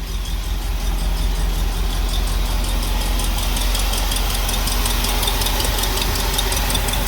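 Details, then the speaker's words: 1964 Cadillac DeVille convertible V8 at idle after rewiring, carburetor idle screw ineffective: light steady tick of two or three per second over smooth idle; suspected exhaust leak on one side, possibly a lifter tick. "Seems like she might have a ticker, but I think she does have an exhaust leak, and I think it's on this side."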